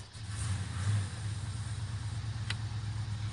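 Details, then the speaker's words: Jeep Grand Wagoneer cold start after sitting several days in rain, wind and colder temperatures, after about five pumps. Deep, low throb with slightly uneven pulsing; rough cold idle struggling to stay steady. "seems like it struggles a little bit uh even with the I think it's like about five pumps still seems to struggle a little bit"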